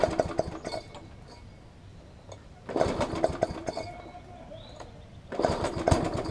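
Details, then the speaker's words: Yard Machines push mower, traded in: catches in short rough bursts then nearly dies between them, surging; suspected bad carburettor diaphragm, later replaced along with the air filter. "it sounds like it needs a carb diaphragm which shall probably put one in it I will put one in it because it's it's doing the symptoms of a bad diaphragm"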